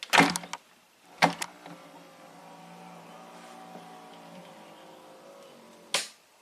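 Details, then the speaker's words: 1993 Cadillac Allante convertible top, original pull-down switch cleaned with DeoxIT and reinstalled: thump as top drops, short rising pull-down motor hum and crisp click as it cuts off; latch cycle works correctly. "Click. Beautiful. One more time. You want to do it slowly. It works amazingly well, guys."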